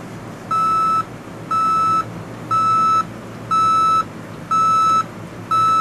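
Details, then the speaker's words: Panasonic RC-6288 clock radio alarm beeper: shrill beep near 1.3 kHz, half a second on and half off, played through the speaker and not volume controllable. Normal alarm operation. "Not volume controllable. Rather high-pitched, annoying squeal. That is coming from the speaker."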